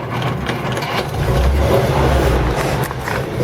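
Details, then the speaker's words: 1952 Packard 300 sedan straight eight with no fuel pump, kept running on fuel squeezed in by hand from a bottle: rough, uneven low rumble, stumbling and barely running from fuel starvation. "got it running with a Lucas bottle up here. It's gonna take a good squeeze because there's no pump."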